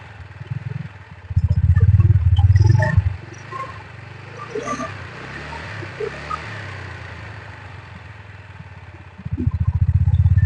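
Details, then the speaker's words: TVS NTORQ scooter engine after timing chain and tappet replacement. Two short throttle bursts with an even, smooth beat and quiet idle between, and no ticking or chain rattle. Engine running healthy. "তো মই সব টিকেটটো change কৰিছে আৰু time যিমানটো সব change কৰিছে তো এতিয়াতো ইঞ্জিনখন বেছি ভাল লাগিছে"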